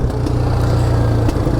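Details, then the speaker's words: 2022 Polaris Phoenix 200 quad, which has had hard starting, poor idle and popping since new. On throttle the rough single-cylinder engine coughs sharp pops back through the intake and stalls when the throttle is rolled on quickly: intake backfire. "oh but did you hear that that was backfiring in the intake now that you don't want"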